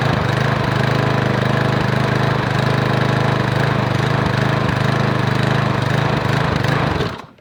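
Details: Lawn mower single-cylinder engine after drilling out broken muffler bolts and refitting the muffler, air cleaner off: runs fast and slightly uneven with mild surging; muffler now sealed, but carburetor and choke issues remain unresolved.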